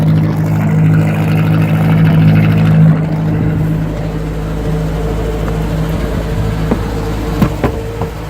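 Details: Warm Atomic 4 inboard boat engine idling, pumping cooling water out well, at 40–45 psi oil pressure; a deep, steady, even idle with no rattles or stumbles. It sounds much better.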